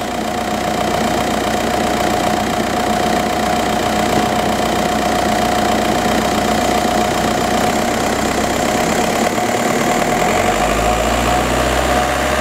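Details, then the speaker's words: 2004 Volkswagen Jetta TDI, 1.9 L turbo diesel, automatic, 179,000 miles, even diesel clatter at idle then clean revving; runs exceptionally well, healthy engine. "the vehicle does currently have 179 000 miles but still runs exceptionally well"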